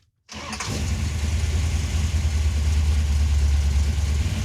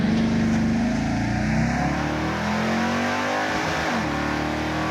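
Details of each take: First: General Mayhem Dodge Charger, restarted after dying, tank cap opened fully and vapor lock ruled out: cranks, catches quickly and settles into a steady, even rumble with no misses; normal idle. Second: General Mayhem Dodge Charger on a drag run of 12.38 s at 111 mph: hard launch, engine note rising then breaking up and stuttering at peak revs in first gear, like a rev limiter; hydraulic roller lifters floating.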